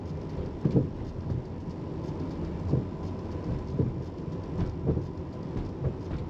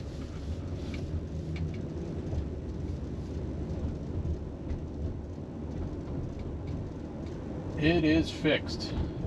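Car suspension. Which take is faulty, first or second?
first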